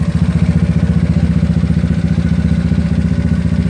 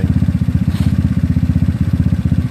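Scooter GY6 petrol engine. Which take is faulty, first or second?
first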